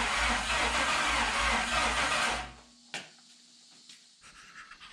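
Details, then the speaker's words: '72 Toyota FJ40 Land Cruiser with swapped 4.8L LS, fuel primed, cranked with PCM unplugged: about 2.5 seconds of even steady starter cranking without firing; turns over smoothly, normal. "the next thing we're going to do is turn it over without turning the pcm on and just make sure it turns smooth and stuff off the starter uh and then if that works we'll give her a go and see if she starts"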